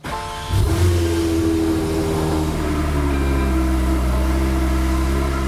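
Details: Porsche 992 GT3 start-up after installing a Dundon street header exhaust, titanium with T321 stainless long-tube headers and electronic valves: the starter whirs briefly, then the engine catches with a bark and settles into a smooth, strong high idle, a healthy cold start.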